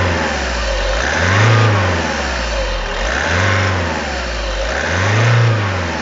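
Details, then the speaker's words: Audi A3 1.6 TDI (CAYC) diesel, which also has a ticking knock: blips every two seconds, revs climbing slowly and softly, taking long to reach 3000 rpm; feels down on power. No fault codes. "Donc l'accélération je la trouve pas très franche. Vraiment appuyer longtemps pour que ça monte à 3000 tours."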